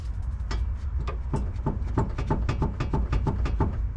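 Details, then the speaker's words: Chevy Sonic auction car that knocked over bumps: irregular dull clunks, about 1.5 per second, as the suspension is worked. The worn lower ball joint was found; control arm replacement is possible. "Not fine. You can't see it, but you can definitely hear it. All right, I don't have too much time, but I found a culprit. [music] It is a lower ball joint."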